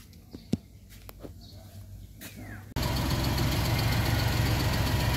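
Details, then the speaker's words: Suzuki Multicab F6A engine after replacing a shorted fuel pump that blew the ignition coil fuse, causing crank-no-start: a few clicks, then it catches and settles into a steady, even idle with no misses; running normally. "Ayan guys ah umandar na siya. Ah pinalitan ko na ng bagong fuel pump kasi 'yung bagong 'yung lumang fuel pump shorted na."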